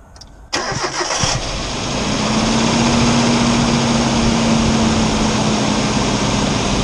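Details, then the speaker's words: Engine on a cold winter morning at initial startup: cranks, catches, then brief light rapping under idle that quickly goes away; owner believes it is piston slap, not confirmed. "first thing in the morning when it's real cold upon initial startup you'll hear a little rapping noise in the engine and it'll quickly go away"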